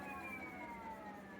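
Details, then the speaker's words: Electric scooter refitted with a 20 x 2.4 Schwalbe Super Moto-X tire, wheel spun up off the ground: thin whine falling in pitch as it coasts down; no longer rubbing, but residual noise remains, owner unsure if it is the motor. "now of course the last time there was it was rubbing so it was a lot louder for that reason but still you can kind of hear that it's kind of got that that's still there I don't know if that's in the motor or what"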